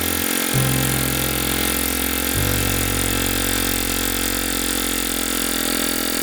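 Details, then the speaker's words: Kohler K301 12 hp single-cylinder engine, first run after rebuild with homemade gaskets: catches and settles into a steady, slightly uneven chug with a rich, smothered note; running on choke, leaking fuel and possibly oil. "It ran pretty good. It was running choked. Definitely have to do something about that."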